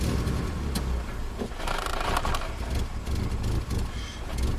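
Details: Subaru Outback with an intermittently failing fuel pump: the engine surges and sags unevenly, running rough and stalling on the gas pedal, with foul-smelling exhaust; a weak fuel pump is the cause.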